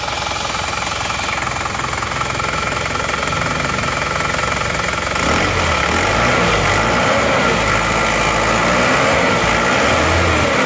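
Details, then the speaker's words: Isuzu Panther diesel idling after overhaul with new original liners, new original piston rings and one replaced piston; steady, even clatter about 3.5 beats a second with no uneven knock, smooth and healthy. "Nah ini untuk mesinnya suaranya seperti ini Alhamdulillah sudah halus"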